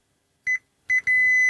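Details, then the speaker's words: Gibson G101 combo organ, bass circuit fault after lifting a wire from the plug: continuity tester gives two short beeps then a steady tone; circuit still reads as shorted to chassis, traced into a wiring loom. "so that is short circuit right where do you go my lovely"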